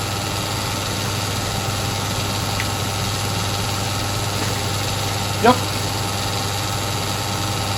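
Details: Sioux valve grinder after fabricating a recirculation oil return pan: steady even motor hum and wheel whir, no knocks, rattles or wobble; oil flowing nicely back into pan, some splash from wheel wind. Normal running.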